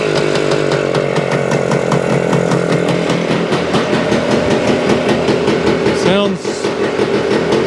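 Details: 1975 Suzuki TS-250 two-stroke, first start after rewiring the stator and tightening loose stator base-plate screws: crisp, even crackle at a fast steady idle, firing cleanly with no misses or stumbles; running healthy.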